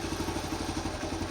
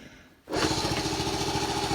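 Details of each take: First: 1974 Honda C50, kick-started after about four to five months sitting, very cold: quick, even single-cylinder putter at steady idle with no knocks or misses; normal cold idle. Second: 1974 Honda C50, unstarted about four to five months since July, kick-started cold with choke reduced: fires into a ragged, uneven putter for a few seconds then dies; catches briefly, owner suspects ethanol-affected fuel, not confirmed.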